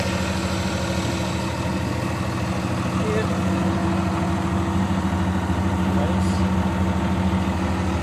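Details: John Deere 2054D excavator diesel idling after swing motor replacement: steady, even low diesel rumble with no knocks or misses; engine idles smoothly.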